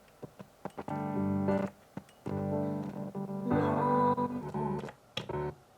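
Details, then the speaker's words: Mackie Big Knob Studio monitor controller playing piano music keeps cutting out abruptly to near silence and returning. The source switch is pressed in but gives no sound. "The switch is in, but the sound went on off. Look at that. It's in. No sound."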